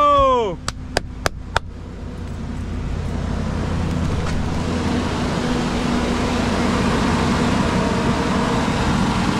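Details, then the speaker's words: 2010 Ford E250 after repairing the high-resistance starter signal wire and an open fuel pump relay ground (temporarily grounded to the negative battery post): a few sharp clicks, then the engine catches, rises and settles into a steady, even run with no stumbling. "oh man I love you good job boy it runs now guess what the problem was all that wiring"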